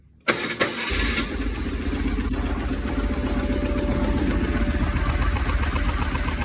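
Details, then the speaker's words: 1995 BMW R1100 GS boxer, first start in neutral after head gasket replacement for oil leak and exhaust-side smoke: quick crank, catches cleanly and settles into a steady, even low idle with no knocks or misses. Normal start, no obvious oil leaks. "and turn right over sounding pretty sweet no big obvious oil leaks"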